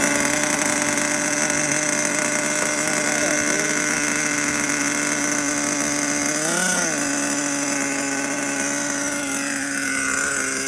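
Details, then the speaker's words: HPI Savage 21 nitro RC truck on factory carburetor settings, fuel pump hose found disconnected: a high, buzzy steady pitch with one clean rev as rpm rises; healthy running. "The fuel pump hose was disconnected. We could hear the RPMs kind of raise up."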